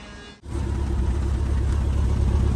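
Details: 2013 Ford Fiesta 1.25 L idling with engine light on: uneven, lumpy idle with a recurring stumble, smoke and vibration at the rear; code P0303, cylinder 3 misfire.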